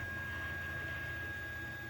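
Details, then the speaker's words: Anycubic Mega S 3D printer after the MK4 X-carriage upgrade, with improved fans and duct replacing worn stock fans. Steady soft fan hum with a faint constant high tone and no rattles or grinding; it runs much quieter. "This is much quieter."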